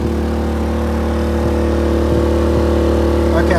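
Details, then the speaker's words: Brand-new Generac iQ3500 generator, about two hours old, dead on arrival with no power output, economy mode off; owner calls it a misfiring lemon. Drone with uneven beat and occasional skipped, stumbling pulses: suspected misfire, unconfirmed. "well this is truly a lemon and I called them here at misfiring"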